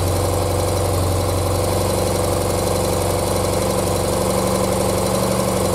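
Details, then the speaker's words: 1976 BMW R100S airhead boxer twin, dealer-rebuilt 20 years ago and stored unrun, carbs untouched and untuned, very cold, first run: settles into a steady, slightly lumpy idle at about four beats a second on both cylinders without stumbling. "this is the best feeling ever i'm so happy that this bike runs now"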